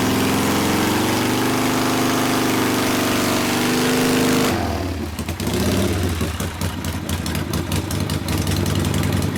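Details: 1972 Harley Sportster XLCH Ironhead after case repair and engine rebuild (came in with kick starter unable to turn the seemingly locked motor): held at high revs with steady tone, then drops to loping V-twin idle, no knocks; normal running.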